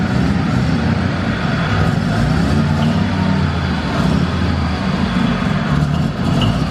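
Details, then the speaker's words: Mazda RX7 Series 1 (SA22) 12A rotary barn find, after 10 years sitting, first drive: steady rough drone never climbing cleanly, not revving out; owner suspects running very rich, needing a tune, and ignition timing out. "It's rich. It's rotary. so rich. They And run it's, rich. like, not revving out properly. I think that is probably because it's so rich and need to tune. And I think also the timing is 100% out."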